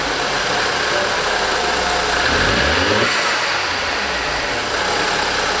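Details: BMW X1 on its first start after workshop work, with the battery recharged beforehand. At idle with a quick rev blip, an odd extra noise rides over the running sound and startled the crew. Abnormal engine noise, cause unclear.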